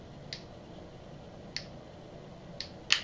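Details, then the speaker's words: Barnett Ghost 350 crossbow cocked with the crank cocking device: crisp light clicks as the string latch engages, a small first click then the second click confirming full cock. "you'll hear two clicks a small click there's the first one then the second one"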